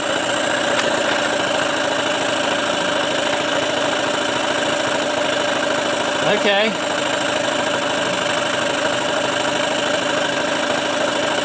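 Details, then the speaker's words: Tracker (Mercury Marine) 9.9 HP outboard after a year unused, running on choke for a couple of minutes with idle adjustment on fast: steady thin buzz at low speed, slowly picking up; slow running on choke. "still have this idle adjustment on fast although it doesn't sound like you're throwing very fast it is it absolutely is seems like it's picking up a little speed"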